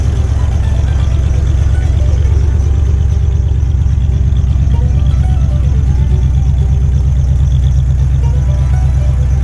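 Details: 1989 Ford F150 idling after fitting a new dual exhaust run out the back, now starting without ether; a deep, even exhaust burble of steady low pulses near three a second with no misses or ticking; healthy running engine.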